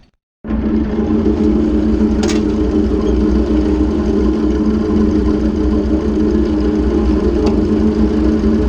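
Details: Ford 600-series tractor abandoned for a decade, after fitting a new intake/exhaust manifold and vertical exhaust: the engine catches and settles into a steady, even idle with no knocks or misses, running smoothly; normal idle.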